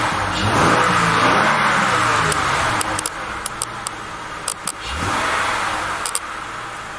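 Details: 2000 Acura 3.2 TL after replacing camshaft and crankshaft position sensors (previously rough idle, misfire codes P0300, P1399, P0302, P0303), A/C off: smooth rise and fall revving twice from idle, no misfire or squeal; healthy.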